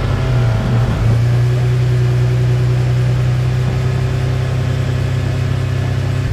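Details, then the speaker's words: 1996 Toyota Tacoma test drive after replacing a dead rear wheel bearing: smooth, even road drone with steady low hum and no growl or rumble from the wheels; repair a success. "all right so the repair is a success test drive was good doing one more last test drive"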